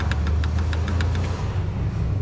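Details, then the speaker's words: Bajaj BS3 motorcycle engine at idle: low steady idle with a light quick tick about six or seven times a second that fades; knocking from excessive clutch bell play. "ಸಮಸ್ಯೆ ಜಾಸ್ತಿ play ಇದ್ದಾಗ change ಮಾಡ್ಬಿಡಬೇಕು ಇಲ್ಲಾಂದ್ರೆ ಈ ತರ sound ಬರುತ್ತೆ ಏನು ಆಗಲ್ಲ ಅದೇ ಹೈಡ್ಲಿಂಗ್ ಅಲ್ಲಿ ಈ ತರ ಹೊಡ್ಕೊಳುತ್ತೆ"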